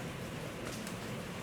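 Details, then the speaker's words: Refrigerator evaporator after a 40–60 PSI charge and a restart after 3 minutes unplugged: a soft steady hiss with no sputter means refrigerant flows normally and the clog (mampet) is cured. "berarti mampetnya sudah sembuh guys"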